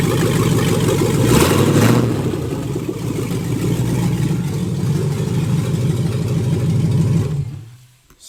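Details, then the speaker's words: LS-swapped 1988 Monte Carlo after mount, cold air intake, throttle cable and transmission line work, refuelled after running out of gas: deep throaty V8 catches quickly, holds steady even rumble through a rev blip then shuts off; healthy. "Actually, I can give you guys a quick little fire up of this thing so you can hear what she sounded like."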